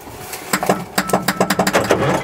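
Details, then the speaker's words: International Transtar 4300 semi diesel found in bushes, bumped with the starter: short bursts roll it over in quick, even beats with no binding or stall; engine turns freely, not locked up. "oh yeah she's not locked up that's awesome I'm gonna bump it again"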